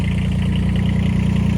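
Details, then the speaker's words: AGT QK18K-C mini excavator with Kubota D722 three-cylinder diesel, just after glow-plug relay click and start with a small puff of smoke: steady even low chug, no misses or knocks, healthy idle. "And there's the click. So it's ready to go. And just a little puff of smoke. No big deal. This thing is awesome."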